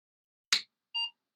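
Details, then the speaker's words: Apple II Plus main logic board powered on during diagnosis after PSU retesting: a click at switch-on then one short clean beep from the speaker; normal startup beep, a positive sign the board works. "thing is working at all we should get a beep out of the speaker when I turn it on here we go okay that's a positive sign"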